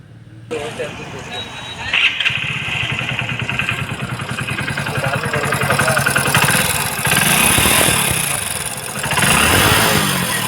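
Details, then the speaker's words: Hero Splendor BS6 single-cylinder bike idling with a loud, light, quick ticking over the exhaust beat, identified as valve noise from loose tappet clearance. "तो जैसे कि आपने देखा दोस्तों इसके engine में बहुत ही बड़ा साउंड आ रहा है तो दोस्तों यह जो आवाज है यह हमारे वाल का आवाज है"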